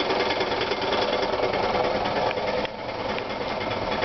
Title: Clutch Noise